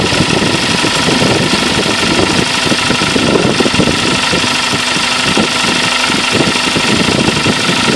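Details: Kia Sportage at 42,000 km, idling: loud steady rapid tapping knock riding over the engine note; internal engine knock, source undetermined.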